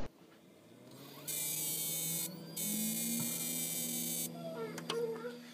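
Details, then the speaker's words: Samsung 60-inch DLP TV that won't come up: harsh electrical buzz in two bursts of about a second each, then cuts out, while the lamp glows very bright; caused by a bad projection bulb, fixed by replacing it. "It glows real bright when it makes the sound. It's really kind of strange, but anyway, here's that."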